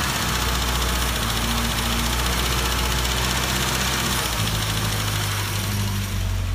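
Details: 1974 MG Midget with SU carburetors, owner unsure whether running weak or rich: lumpy, uneven idle whose beat shifts partway through as the mixture hunts; rich-running idle.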